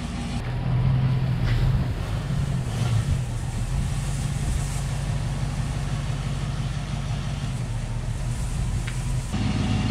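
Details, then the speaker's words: 1969 Mercury Cougar Sport Special, 351ci Windsor 2V V8, first test drive after sitting 20 years: deep, even V8 rumble rising and falling smoothly with throttle, no knocks or misses; runs great, though brakes are weak and dragging. "she sounds great i mean wow that's pretty impressive cougar maiden voyage she's out here just rolling around like a champion"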